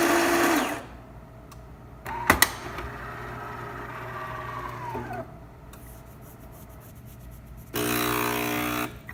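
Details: DeLonghi Magnifica after repair: grinder replaced because water was poured into it and it stopped grinding; brief bursts of steady, even whirring as beans grind, no catching or strain; normal grinder operation.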